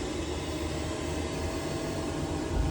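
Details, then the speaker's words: Worcester Bosch 30si combi boiler with no heating: following the breakdown fault-finding chart, the mechanical plug-in programmer is pulled out. A steady low fan and burner rumble builds as the boiler lights, and it fires up normally. "pay down Bible says replace plug-in programmer so I'm going to whip that out as soon as that's pulled out you can hear the boiler trying to fire"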